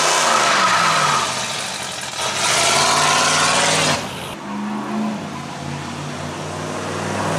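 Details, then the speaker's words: 3rd-gen Pontiac Firebird on its first drive with an untuned four-barrel carburetor: loud open-exhaust rev pulls up, then sags and drops off as it goes for the next gear; the moved throttle bracket left the TV cable stopping proper shifts. "all right so uh that first drive failed and it was a pretty easy errors to fix such as the throttle bracket moved causing the tv cable not to allow the transmission shift properly"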